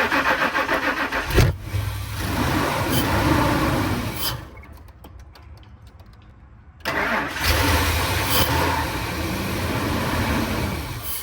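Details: 2000 Ford Excursion crank no start, spark present, no fuel pressure suspected: starter cranks with steady chugging rhythm, pauses, cranks again without catching; crank no start, fuel-related.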